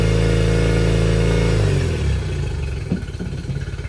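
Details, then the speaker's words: Yamaha T50TLRD 50 HP outboard, running after head decking and a new head gasket: it revs high with a steady drone, then drops to an uneven, stumbling beat as it slows; one cylinder is missing, possibly from a dirty injector. "she's still sleeping on the cylinder but it could be could also have a dirty injector not getting enough fuel"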